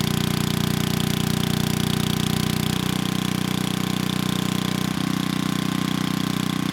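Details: 1987 VoltMaster 4,000 W generator, 8 hp Briggs & Stratton flathead, after compression repair, under 3,000 W load: 120 V near 60 Hz (107 V unloaded). Steady even thump holding constant speed, no misses or knocks.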